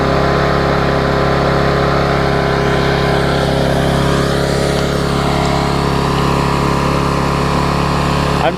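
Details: Vulcan 18" mower's 3.8 horsepower two-stroke, revived with a new intake pipe and a freed rusted flywheel/magneto, holds a fast, steady buzz at even pitch with no misses or surging until shut off; runs well.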